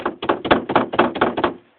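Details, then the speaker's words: Renault Logan 2 rear suspension knock while the car is rocked: quick hollow plastic knocks about four a second, wheel-arch liner suspected hitting the strut mount cup, or the cup itself; foam padding suggested, not confirmed. "Ну так вот подкрылка стучит. Вон здесь вот стучит об вот этот вот стакан."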